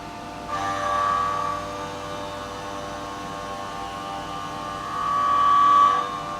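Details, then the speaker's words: CNC milling a billet aluminium PTO cover for an RTOF 9513 transmission, shallow depth of cut: thin ringing tone rises over the cutting noise twice as the cut reaches the middle, tool chatter. "Once this gets toward the middle, you'll probably hear a little vibration, I'll kind of call it out. Well, you you can't help but hear that."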